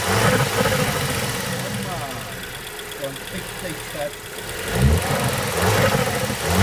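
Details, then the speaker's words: VW/Audi turbo petrol engine idling: a rising and falling surging whoosh from the air filter side, caused by a weak N249 turbo diverter valve that can't stay closed; codes P2261 and 008801. "so um that noise that you heard um is caused by this diverter valve being weak not only and not not Tor um it's just weak"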